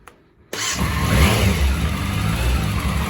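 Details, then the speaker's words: Restored Yamaha Fazer, first running after about 15 years, already slightly warm, cold weather: catches instantly and settles into a smooth, even idle with a steady low beat; strong, healthy start. "she sounds good and strong very energetic"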